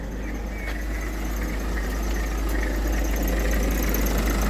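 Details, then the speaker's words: 2016 Citroen C4 Grand Picasso 1.6 BlueHDi diesel, 123,000 miles, after new clutch/dual-mass flywheel kit, timing belt, serpentine belt and water pump: steady idle with a faint, fast, even squeak; source suspected but unconfirmed; otherwise running fine. "As you can hear that squeaking sound, it's this. I think it's this. Other than that, everything is running superb."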